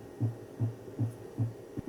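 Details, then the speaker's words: Hi-fi amplifier at about 200 W into 8 ohms with the input frequency being lowered, giving more capacitor charging pulses per cycle: a low hum throbbing about 2.5 times a second, as 120 Hz supply ripple passes through while the output stage saturates. "Quanto mais baixa a frequência, mais fácil o teste fica, porque com a frequência de saída mais baixa, dá tempo de ter mais pulsos de de carga nos capacitores."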